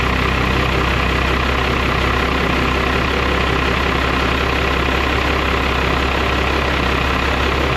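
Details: 12-valve Cummins diesel truck after a Smeding 64.5/68 billet turbo upgrade from a 62/65: steady low diesel clatter at an even idle with no misses or surging; healthy idle.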